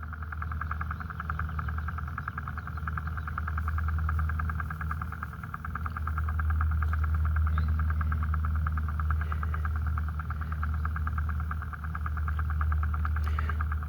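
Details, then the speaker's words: Sprinkler irrigation system after shutting one valve at the backflow preventer: steady low rushing hiss of water still flowing, because the zone one sprinkler valve is defective and stuck open. "And the sprinkler is running, but the sprinkler one valve is is defective. So, that particular valve is going to continue to run."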